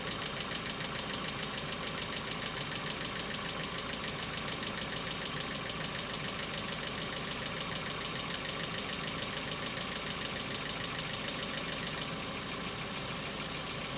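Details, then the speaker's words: Hyundai Accent cold start: sharp, even ticking a bit over two per second above quiet idle, stopping near the end; cold hydraulic lifters, knocks now more intense, longer and recurring in episodes, unlike before. "Стуки стали интенсивнее и длятся дольше. Раньше такого не было."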